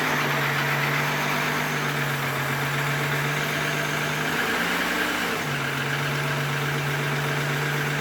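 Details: 1997 VW Eurovan VR6 12V at first start-up after timing chain replacement with the engine left in the van: steady, even idle hum with no knocks or ticks, a normal idle. A leaking fuel filter was found afterward.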